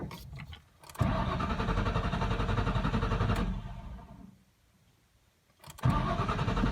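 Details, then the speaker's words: Car with dying fuel pump: long steady cranking about three seconds, pause, cranking again without clean start; hard starting from failing fuel pump. "But I'll show you here. Sometimes it'll be hard starting as it is."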